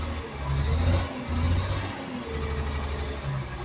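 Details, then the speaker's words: CAT 950H wheel loader diesel with the number two injector not working and misfiring, and no error showing on the monitor: low, uneven chugging swells and sags as it struggles to start; a sensor fault is suspected. "okay as you can see on the monitor there is not showing any error that's a problem engine is hardly starting"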